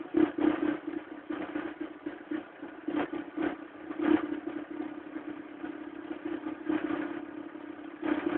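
Cold engine running with an uneven, rattly clatter and irregular sharp knocks over a low hum; something is clearly not right.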